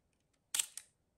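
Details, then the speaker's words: Konica IIIA 35mm rangefinder leaf shutter fired at 1/25 second: a single soft, crisp click with a faint second snap about a quarter second later, very quiet; a healthy leaf shutter. "and that that's the sound of the shutter extremely quiet"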